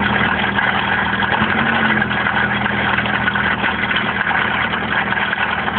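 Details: Opel X14XE engine at idle: steady idle with an odd metallic note and no clear rhythm; owner suspects the bottom end may be going, unconfirmed.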